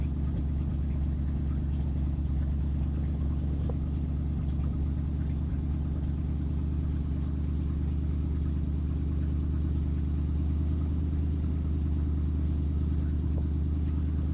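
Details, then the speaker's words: 1967 Ford F-350 flatbed truck, 302 V8, just started after sitting a couple of months: deep, even burble holding a steady idle with no knocks, ticks or misses; normal idle. "There she is. She starts and runs. I'll let you guys listen to her for a minute here."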